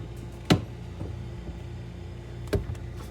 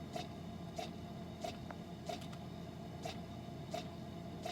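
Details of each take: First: Frigidaire side-by-side refrigerator LFSS2612TF4 with new fridge air damper (part 242303001), after repair: steady motor hum, damper opens normally, only single end-switch clicks, no repeated clicking as when old damper stuck closed and fridge warmed to 50°F. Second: Frigidaire side-by-side refrigerator LFSS2612TF4, fridge at 50°F while the freezer works; sharp ticks about every two-thirds of a second over fridge hum; damper motor clicking with the damper stuck closed; replaced with part 242303001.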